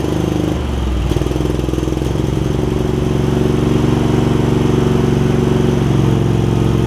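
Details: Craftsman garden tractor with Kohler CV20 V-twin, before carburetor clean, just after fitting a new metal ignition switch: hunts and stumbles for the first couple of seconds, then a lumpy, uneven idle; rough running from a really gummed-up carburetor.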